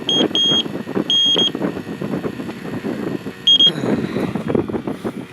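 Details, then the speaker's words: Freon leak detector checking the AC compressor for a 1988 Jeep XJ: erratic, high-pitched, Morse-like beeps in short uneven bursts over background clatter; false alarm, likely because the black sensor hose on its end is loose. "Sometimes if this black hose that's on the end of this thing isn't tight, it'll act spastic like the other one."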